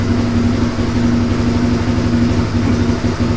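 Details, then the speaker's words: 1997 Suzuki DR350 single-cylinder with the choke off: slow, even, steady idle thump with no misses. Previously it idled unsteadily and backfired, and the owner suspected an electrical ignition-timing fault. Now a normal idle. "on't think so I don't think it has ever idled this long and at such low speed that's a nice idle you think that sounds good it just seems so low so slow"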